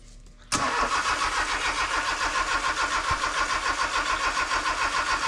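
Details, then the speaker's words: Honda K24 engine swapped into a sandrail, first start attempt after new harness and ECU install, on a jumper battery; idle air temperature sensor and alternator unplugged. Starter cranks evenly with one faint cough, never runs: cranks but will not start. "It coughed once."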